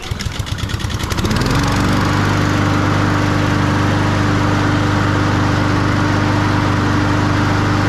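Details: Honda walk-behind push mower, oil already warmed by an earlier run, before its spring oil change, running on old-smelling gasoline: pull-start catches after a second into a steady, even single-cylinder drone with no misses or knocks; healthy.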